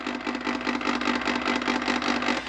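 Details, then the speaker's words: Circulator pump switched on by the White Rodgers 1311 zone valve end switch through a relay once the valve fully opens on a call for heat: steady low whir with soft even pulse, no grinding or rattle; normal running. "if it fully opens the valve the pump pump is gonna open so that's her pump running and that could be the pump and the burners"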